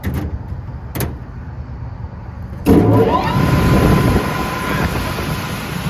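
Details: Lennox HVAC belt-driven blower after replacing the grounded, shorted motor and the contactor: quiet, then the blower kicks on and settles into a smooth, steady hum with no grinding or rattle. It draws about 6.4–6.9 A against a 7.5 A rating; normal running.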